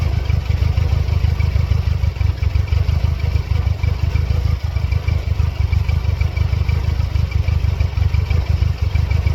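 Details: 1999 Mercedes-Benz C230 Kompressor W202 with flashing check engine light; heavy low thumping idle with uneven stumbling pulses, no steady beat; misfiring, rough running, cause not pinned down.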